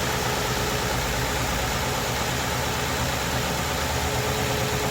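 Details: 2008 Ford Crown Victoria Police Interceptor (P71) with the 4.6L V8, recorded at idle in the engine compartment: steady, even idle with a smooth low rumble and no knocks or misses; sounds healthy.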